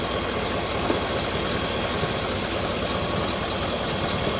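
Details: 2008 Cadillac Escalade V8, just topped up with coolant and bleeding air pockets after cooling-system work; smooth, steady idle with some hiss over it, no ticking or knocking; normal idle.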